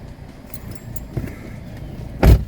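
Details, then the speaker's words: 2015 Chevrolet Sonic LT after the ignition coil was replaced for a P0304 cylinder 4 misfire: a quiet, even low idle with no stumble or skip and no check engine light. A normal idle; the misfire is fixed. "no check engine light and it certainly doesn't feel like it's missing feels much better so i believe the problem is fixed"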